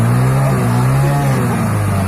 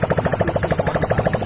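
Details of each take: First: Hero Passion Pro motorcycle after a full engine rebuild, idling while the carburettor mileage screw is tightened and loosened: a steady, fairly fast, even drone; a lower idle gives better mileage, but not so low that the bike stalls. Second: Hero Passion Pro motorcycle after a full engine rebuild and fresh oil, kick-started and run without the exhaust pipe fitted: loud, crisp, evenly spaced pops at a steady idle, no knocks or misses; running fine.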